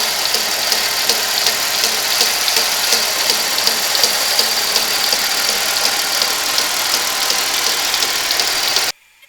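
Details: 1991 Buick LeSabre, 3800 Series 1 engine, started that morning: steady idle with a sharp regular tick, nearly three a second, and clunks that shake the accessories.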